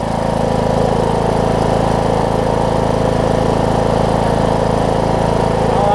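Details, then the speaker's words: John Deere D105 riding mower, 62 hours, sat unused for an unknown time, just started after fuel reached the fuel pump: even, steady single-cylinder putter at a fast idle while warming up, no knocks or misses; normal idle. "Down to let it warm up. That's all it took. That thing almost started right up. It just needed to get some fuel in the fuel pump."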